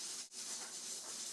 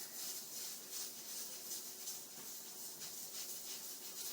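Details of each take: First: Stovetop pressure cooker cooking pinto beans, started on medium-high heat: loud, steady steam hiss as the regulator chatters, signalling time to turn the heat down. Pressure regulator chattering from excess heat. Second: Stove-top pressure cooker cooking pinto beans, about 5 minutes after the heat was turned down: soft, steady steam hiss from the regulator's gentle rocking, about three puffs a second, the normal sign of proper cooking pressure.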